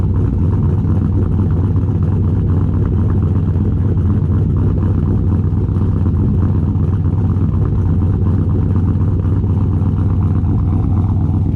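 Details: VE with a big V8 said to make 525 rwhp, just fired up and still not road-driveable: a loud, heavy, constant rumble with a slight lope and no knocking or misses; a healthy idle.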